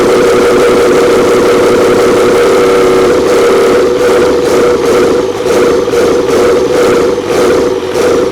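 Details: Old 12-valve Cummins diesel stored for almost a decade, first start after freeing a seized fuel solenoid. Loud, steady diesel clatter with an even beat and constant drone, no misses or knocks; healthy settled idle.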